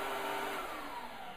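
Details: Oreck Commercial PRO12 single-motor upright vacuum running normally, motor in the lower unit: steady even whir with smooth airy rush and no whistle, surging or cut-out (whistle and shutoff warn of a blockage).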